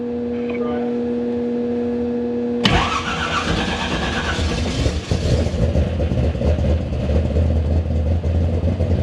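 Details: Monte Carlo V8 engine swap on restart after oil pressure confirmed at 60 and oil reaching the pushrods: steady hum, then catches at once into an even, solid rumble with no knocking; healthy start.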